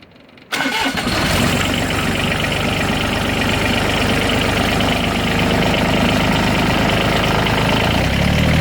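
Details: Tractor engine catches quickly and settles into a steady, even chug with no squeal; in cold weather it used to squeal from the cable, with the gauge needle jumping, but now runs normally.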